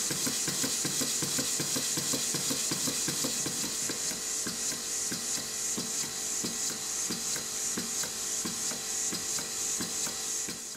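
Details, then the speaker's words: Stuart beam engine under restoration, run on compressed air with valve timing not yet reset: quick, fairly irregular wooden knocks two or three a second over a hissing air exhaust; knock source suspected in valve gear. "i haven't bothered resetting the valve timing so the engines are knocking as usual the funny noise you can hear the squeaking noise is air blowing past the gasket"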